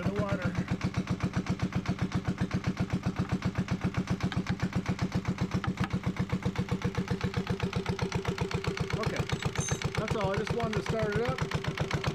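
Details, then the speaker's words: Yanmar 1GM single-cylinder marine diesel from a sailboat, run on a wood pallet in a shop while its cooling passages are flushed: a steady, even chug of about four beats a second, smoke mostly stopped. Clean, normal idle. "thank goodness that I've got it running um and it's not bouncing around nearly as much as I thought it would"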